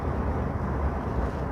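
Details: Diesel after injector tip replacement, camshaft lift adjustment, system cleaning and setup to standard values, fixing a cold-start knock and white smoke: smooth, deep, even drone while driving, no knocks or ticks; normal running.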